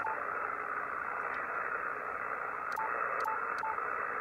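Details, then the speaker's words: HF amateur radio receiver picking up power line noise, at about S2 with the noise blanker off; switching to the wide blanker barely helps: a constant raspy buzzing hiss with no signal beneath it. Power line noise. "no not really so that is power line noise"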